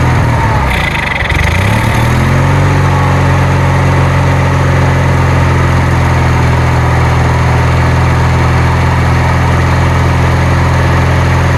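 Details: Kohler Magnum 20 engine on a Wizard garden tractor, second start after repairs, primed and choked: it catches after a brief stumble, then settles into a steady, even low drone with no misses or knocks, a healthy normal idle.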